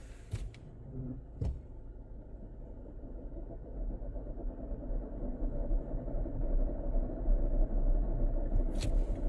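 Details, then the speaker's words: Front-wheel-drive car rolling: a deep, fast rotational rumble from the transmission, like a bearing coming apart; the owner suspects a failed transmission pinion bearing, not confirmed. "Oh, there's a bearing coming apart in this transmission. Ooh, that's bad."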